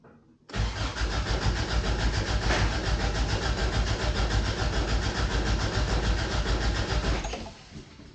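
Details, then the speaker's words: 1988 Toyota Pickup (Hilux) off the road about five years, new fuel line fitted: steady, even cranking at about three and a half turns a second that never catches. Owner suspects no gas in the tank and is unsure the fuel pump runs. "I don't think she got any gas. Listen carefully. We don't know if there's a fuel pump coming on."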